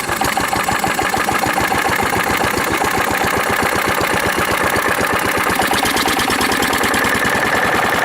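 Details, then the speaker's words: A 1940s Wolseley engine driving a cement mixer by flat belt, first run in over four years; a quick, even popping exhaust beat with no misses, running well but smoking, possibly a stuck ring. "you just still hear that thing run interesting and smoking a bit it shouldn't be doing that but anyways might have a stuck ring who knows seems to be running good though"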